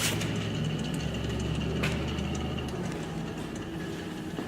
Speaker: know if you guys can hear that but just sitting here and spinning it by hand that is grinding so when you're driving the car on a test drive as a mechanic very easy to diagnose